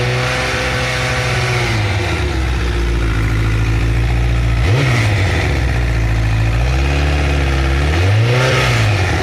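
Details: Honda CBR1000RR Fireblade blipped from idle: rough rattly vibration rising over the exhaust as revs climb; abnormal noise around 30 s and a different one near 1 min, cause unknown.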